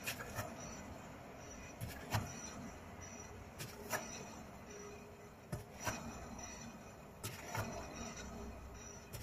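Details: Car suspension, wheel turned slowly by hand clockwise while holding the spring: dull knocks once or twice per turn; knocks also while driving, turning and stopping. Worn wheel hub bearing, confirmed when replacement silenced it.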